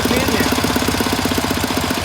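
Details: 1967 K-750 motorcycle boxer twin on 92 petrol, plugs fine, valve clearances earlier in tolerance, camshaft bushings worn: raising the revs brings a regular dull thudding, like bangs into the air filter area, of unknown cause.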